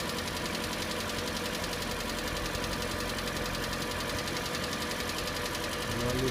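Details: Hyundai ix35, 150 hp, 74,000 km, over three years old and under warranty: steady idle with a fast, uneven light knocking just after a cold start that lasts about 25-30 seconds then disappears; cause unclear, dealer to check.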